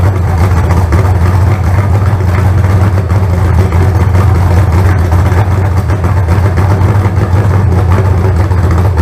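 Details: Freshly built carbureted 388 small-block Chevy (heads and intake from the owner's 406, crew-cab Chevelle) idling out of the car on first run: deep, steady, even rumble, no knocks or misses; about 80 psi oil pressure, no oil leaks. Normal idle.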